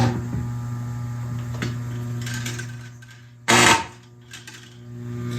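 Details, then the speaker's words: Lionel Chicago and Northwestern cattle car with corral: a steady low buzzing hum from the vibrator mechanism moving the cattle, with a brief loud rattle midway. It is running normally, though the cattle struggle on the ramp. "So you hear that hum?"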